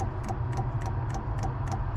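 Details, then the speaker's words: Eberspacher/Airtronic M3 D4L diesel heater installed in a Hewescraft 210 Sea Runner boat: steady light ticks about three per second over low hum, fuel pump ticking while priming, heard most at fuel tank; probably no fuel reached yet. "I can hear it more in the fuel tank than anything I hear it now yeah I think it's just not gotten any fuel yet"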